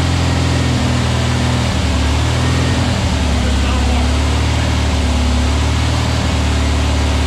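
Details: Freshly built VW Beetle 1679cc single-port engine, Scat C25 cam, dual Empi ITC carbs, 20-minute cam break-in: even steady low thrum at constant speed, no knocks or misses; runs smoothly, timing spot on first fire-up, carbs need tuning.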